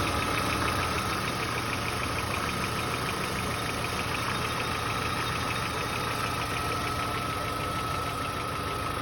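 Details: VW Passat B4 engine at idle: steady idle with fast, fairly even tapping around three per second; owner unsure whether it is a knock or normal, cause unclear.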